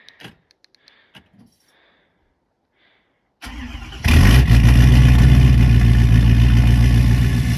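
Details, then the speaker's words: 6.7 diesel truck started in winter: quiet, then a short crank and it catches instantly, settling into a steady, even idle clatter. It just fires right up; a healthy cold start. "Of course, it just fires right up."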